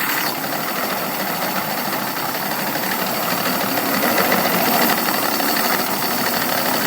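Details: Evinrude 200 outboard dropping from about 1,000 RPM into neutral: patchy, uneven chuffing about four beats a second that falters and stumbles, coughs at idle then dies, runs fine at higher speeds; misfire at idle.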